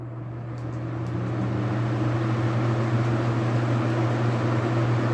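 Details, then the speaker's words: Duracrest 2-speed box fan on high speed: steady low motor hum with a smooth, even rush of air and no ticks or rattles; the fan takes off and runs normally on high. "High speed, this thing literally does take off."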